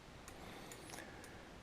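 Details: Honda Express NC50 moped restoration, homemade 555-timer indicator flasher driving a relay via NPN transistor, on bench: crisp relay clicks a bit over two per second; working normally.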